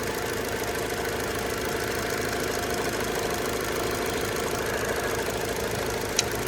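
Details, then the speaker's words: 2002 Hyundai Accent, idling, heard near the transverse engine: light quick ticking at about three taps a second over steady idle; tapping seems external, source not pinned down; oil change and spark plugs planned. "It's definitely making a weird tapping noise. But it sounds like it's like right here."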